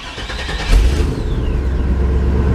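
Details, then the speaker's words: 1998 GMC OBS truck with intermittent start-then-shutoff problem; engine catches after short crank and settles into steady low idle without stalling; engine starts and keeps running. "There we go. Start it up."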